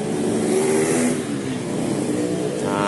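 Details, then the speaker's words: Yamaha Jupiter Z motorcycle, engine sometimes rough, gears sometimes hard to shift: rough uneven engine note with loose rattle; clutch housing damper rubbers crumbled, clutch plate rattling instead of turning together. "Karet rumah kanvas kopling ini. Ini jadi seperti ini. Ini harusnya memutar bersamaan dengan ini. Jadi ada suara bunyi itu mungkin plat dari belakang ini atau penahan karet."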